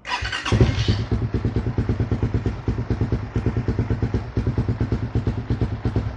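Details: Raider 150 FI after battery replacement (old battery gave no push start and flickering lights): brief starter whirr catches on the first click and settles into an even, lumpy single-cylinder idle; healthy start, lights now stable.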